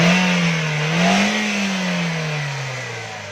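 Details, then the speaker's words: 2009 Toyota GLI 1.3 after complete engine tuning for fuel consumption and pickup problems: engine revs climb and fall evenly, quiet with no stumble or jerk; smooth revving. "दोस्तों ये आवाज़ कितनी खामोश है गाड़ी की। तो ये गाड़ी हमारी बिल्कुल स्मूथ है।"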